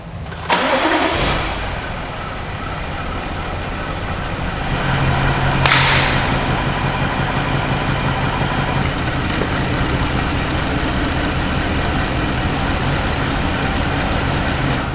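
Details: BMW 750i with 4.4 turbo N63TU V8, low compression: starts and idles with uneven, lumpy misfire beat; variable timing issue or crossed signals suspected.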